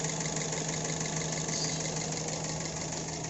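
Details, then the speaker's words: Daihatsu Grand Max pickup, fairly new, owner complains of rough engine sound: petrol engine idling with a coarse uneven pulse about three beats a second over a low hum; rough idle. "beliau mengeluhkan ada mobil ada suara mesin yang agak kasar"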